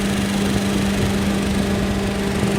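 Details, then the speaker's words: 1989 Jeep Cherokee XJ (Renix 4.6L I6) with a newly installed 1997–2000 Volvo S70/V70 2-speed electric fan: steady fan drone with an even scraping rush as a blade rubs the shroud from a small clearance issue. The shroud was not cut enough; loosening it stopped the noise, and it was then trimmed. "it makes like a rubbing noise and I couldn't figure it out for the life of me and I think I figured it out just a really small clearance issue"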